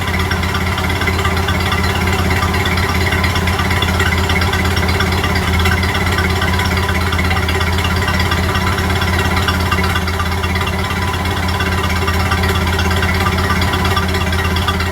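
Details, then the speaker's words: Model A Ford heard from the back at the tailpipe after exhaust manifold gasket replacement: steady, even low putter at idle with no ticking or leak puffing; exhaust sounds healthy. "Sounding pretty good at the moment, but I'm going to be quick. That's what she's sounding like from the back."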